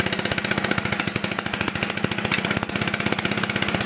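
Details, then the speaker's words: Honda Beat fuel-injected scooter that seized from running out of oil, just started at 40 fuel pressure: sharp rapid ticking puffs over the idle at every firing, loud and raspy; exhaust leak at port, gasket not yet replaced. "Nah, ini knalpotnya masih bocor ya guys ya. Perpaknya belum kita ganti, nanti kita akan benerin lagi ya guys ya."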